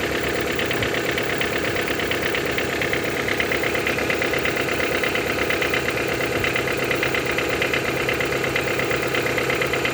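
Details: Toyota 5A-FE engine knock: even steady tapping over smooth idle keeping pace with engine speed, louder when cold; valve clearance adjustment did not help; cause not found.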